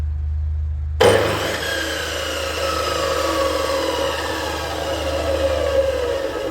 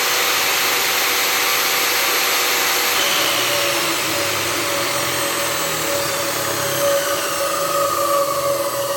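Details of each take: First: Profile saw (tile cutter) motor started before fitting a soft-start module: slams on with an abrupt hard jolt, then steady hum; owner fears it will break the internal gear; harsh direct-on-line motor start. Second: Profile saw motor running after a soft start module was wired to the switch and motor: even, high whir that eases gently toward the end; runs smoothly.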